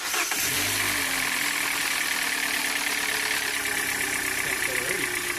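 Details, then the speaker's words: 2014 Hyundai Elantra with knocking engine, after fresh thicker oil and additives, first cold crank: quick catch, steady even idle, no knock heard; owner says knock appears mainly at idle. "The first crank sounded pretty normal."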